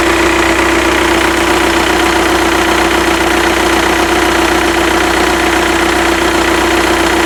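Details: Skoda Octavia 1.9 TDI ALH tuned to 165 bhp, engine warmed to 50°C, idling. Steady diesel clatter with a pronounced tone over it, source unclear. Alternator bearings and belt pulley already replaced, new G60 clutch 8 months ago, timing belt kit 18 months ago.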